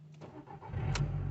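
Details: Car with a flat battery, jump-started from a van with the negative lead on an engine earthing point and the donor run a few minutes first: brief quiet cranking, then it catches at once into a steady low hum. A clean, healthy start.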